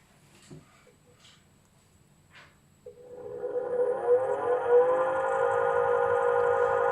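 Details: Swegon Casa W80 heat-recovery ventilation unit, heat exchanger removed, testing fans one at a time: after a few knocks the fan motor starts and drones with a steady loud hum from dirt stuck on its impeller blades.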